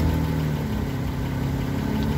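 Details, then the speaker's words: Car with a resonator delete, small exhaust pipe leak patched with JB Weld, after about 300 miles of driving: steady even idle with a smooth low exhaust note, no hiss or puffing; the rustling leak sound is gone, a temporary fix. "seems like the rustly sound is pretty much gone and so it served its purpose for the for a short-term fix"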